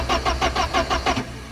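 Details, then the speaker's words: Porsche 944 that broke down after sitting, camera at the rear by the fuel pump: starter turns slowly at about six compressions a second, no firing; cranks but won't start, owner suspects a weak battery, earlier suspected the fuel pump. "my next idea was to charge the battery cuz it did seem like it was CR cranking pretty slow especially the first time I started cranking it it was like warm warm warm warm so it really didn't feel like it had anything in it"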